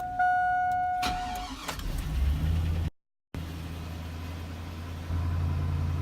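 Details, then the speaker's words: 2001 Chevy Silverado 1500 Z71 4.8 V8 cold start at about 36°F: cranks, catches and settles into an uneven, slightly hunting idle that returns to normal when warm; ongoing for about six weeks, cause unknown. "2001 Chevy Silverado I've been having problems on a coach start where it has a like a rough idle I guess usually does it every time I started to code after that yeah when it warms up it goes back to normal"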